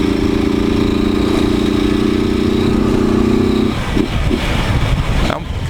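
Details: Motorcycle with 4 mm engine and naturally aspirated head, original cam: loud steady droning rattle over the engine that drops off as the throttle closes; owner says something seems loose, others suggested piston slap or cam; cause unconfirmed.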